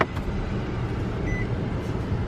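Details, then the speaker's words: Nissan Sentra bought at a Manheim auction, a smoker's car with a clean title but damage, started in very cold weather: low, even idle hum with a smooth, steady rhythm and no knocks or misses. Runs really well. "we are all set it sounds like it runs really really well"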